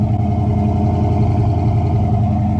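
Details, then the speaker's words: 1965 Ford Fairlane 500 with 289 V8, freshly fitted Holley Street Warrior 600 CFM carburetor with electric choke, heard on a walk-around: deep, steady, slightly lumpy idle rumble, even firing, no knocks or misses; normal healthy idle. "Let's do a quick walk around here real quick so you guys can hear it. That 289 sounds really good."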